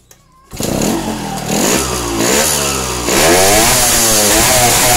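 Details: Yamaha LS3/RS100/RS125/RX100-type two-stroke, carburetor on wet setting with air screw half a turn out; barks to life and revs with a crisp buzzy rise, picking up cleanly without hesitation.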